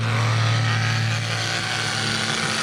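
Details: Traxxas RC truck during a backyard bash after a diff broke and most spur gear teeth stripped; rough, raspy chainsaw-like gear noise over the motor's steady whine as it limps back.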